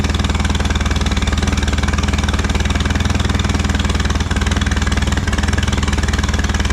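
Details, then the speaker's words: Allis Chalmers B tractor gas engine, running after a long repair, with oil pressure; a few small tasks remain. Steady, even firing at about four pulses a second with a deep, constant exhaust note and no misses. Normal running. "all right a couple more little things to do but we got the motor running"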